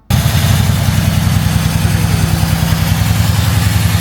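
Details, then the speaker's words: Engine at idle on a modified car with aftermarket interior: low uneven stumbling idle, audible air intake system leak at the front that will definitely cause misfire; slight shake, 10 rpm variation. "So, firstly, a leak in the air intake system. You can actually hear that. So, that it's running at the front, which will definitely cause a misfire."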